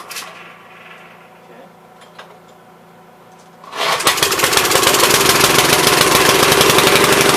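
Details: Troy-Bilt tiller after swapping in a new spark plug, choked: quiet, then catches and settles into a quick, even beat with no misses; bad spark plug confirmed as cause.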